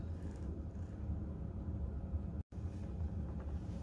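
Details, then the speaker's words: Diesel heater newly installed in a Jayco Swan camper, running at level 1 with 5.5 °C outside: steady low even rumble with no knocks, surges or rattles; normal running. "even at level 1, it tends to, you know, just plod along slowly and bring the temperature up slowly."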